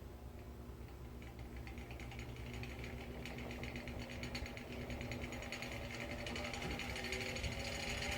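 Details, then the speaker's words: Old electric fan with knackered blades, one bad blade off-center; uneven rattling knock about three per second over motor hum as the unbalanced fan wobbles and walks across the washing machine. "yeah I think these blades are knackered and that bad one is doing a badge at the center so yeah probably not gonna get much because like I said this thing wants to do the Boogaloo across the washing machine"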